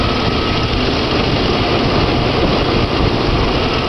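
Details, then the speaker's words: Jeep six-cylinder running with spark plugs pulled one at a time, here on four cylinders before dropping to three: loud, uneven, lumpy off-balance puttering at idle yet still running; deliberate misfire on dead cylinders. "all right that's four cylinders right now you can hear it puttering but it's still going definitely sounds off balance"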